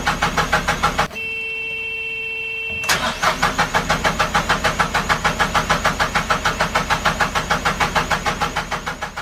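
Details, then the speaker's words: Narrowboat diesel after owner's first service with oil, air and fuel filter changes: even cranking about three beats a second that never fires; system needed bleeding. "it's two days later you would have seen that I had a problem starting the engine I just couldn't get it too far up I realized that the system needed to be bled"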